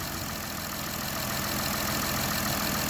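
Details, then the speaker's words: Honda Odyssey at idle with fairly new belt and pulleys that squeaked after winter, now quiet after spraying silicone lube on the drive belt's outer surface and inner grooves: even steady hum with no chirp or squeal, normal idle. "So right there I can see the inside of the belt. It became even quieter. Tremendous."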